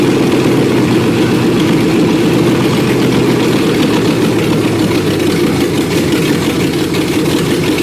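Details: LS1 V8 swapped into a BMW E30, at idle: loud, rough idle with a fast light ticking over the rumble; a top-end tick, cause not yet pinned down.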